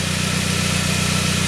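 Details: 1999 Saab 9-3 after its crank-no-start was fixed; the signal is now healthy. Steady, even idle with a smooth low pulse and no knocks, misses or stumbles; the engine is running normally.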